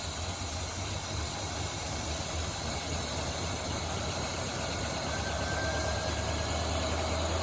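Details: 1977 Holden HX Statesman with 308 V8 and Turbo 400, sitting about 20 years, first run: even, steady idle with low rumble and no knocks or misses; engine runs smoothly.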